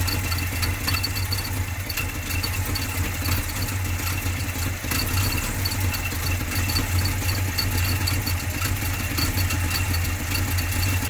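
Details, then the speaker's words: 1980 GMC truck V8 on old early-70s points-style distributor, idling about 458 RPM, a bit low: loping idle with uneven beat as a cylinder drops out; misfire partly blamed on the distributor, later replaced with MSD HEI. "but what I can do is it's also been misfiring a little bit, and that in part is because of the distributor."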